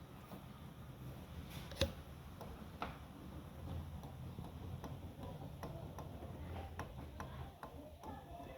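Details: Chevrolet Corsa/Celta that knocks when driven over cobblestones. Light, irregular ticking knocks as the steering is turned toward centre reveal play inside the steering rack; bushings, ball joints, tie-rod ends and strut mounts were already checked.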